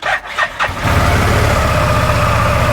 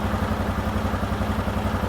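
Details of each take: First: 2018 Odes Dominator 1000 X4 LT after a repair and codes cleared, which had run on one cylinder; quick crank, catches, settles into an even twin-cylinder idle, a lot smoother; normal idle. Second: 2018 Odes Dominator 1000 X4 LT twin idling, code for injector 2 malfunction, rpm bouncing; uneven lumpy idle with a loping pulse about eight times a second, running on one cylinder; misfire from failed injector.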